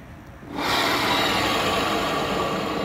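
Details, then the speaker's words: Honda Beat automatic scooter running: rough, gritty steady whirr with no knock; CVT cover opened, dry, worn CVT bearing identified as cause. "Assalamualaikum warahmatullahi wabarakatuh guys nih ada motor Beat nih bunyinya kayak gini tuh ya Kasar banget ya Nih"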